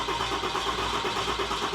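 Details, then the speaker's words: Newly installed built 6.7L Cummins diesel (Tow Monster Plus), first start attempt after oil, coolant and power steering fluid filled and key cycled to prime: even starter churn with steady compression pulses, never fires; cranks but won't start, air in fuel system. "Okay, that's enough. It should have fired by now. Yeah, it should have went by now."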